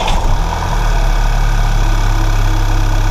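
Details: VW GTI, Stage 2 with aftermarket downpipe, after replacing a failed, broken downpipe gasket with a factory gasket: smooth, deep, even exhaust idle with no ticking or puffing; leak fixed.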